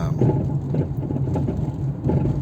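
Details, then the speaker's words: 2004 Toyota Corolla rolling on the road: hollow clunks and rattles in bursts over a low drone; suspension judged shot, with sway bar links, struts and control arms to be replaced. "It's a lot of noise. The suspension is shot."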